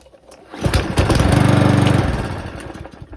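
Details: 2007 Parkside mower, dry fuel tank, air filter off, primed with petrol poured down the intake: it fires about a second and a half on the pull, then sputters and dies; fuel starvation suspected, carburetor cleaned next.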